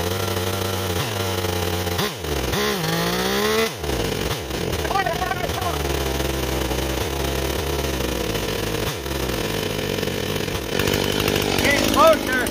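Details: Stihl 028 chainsaw at running temperature after a hard restart; revs surge and sag repeatedly, pitch swooping; owner suspects an air leak detectable only when warm, despite new crankshaft seals, and low-end tuning issues.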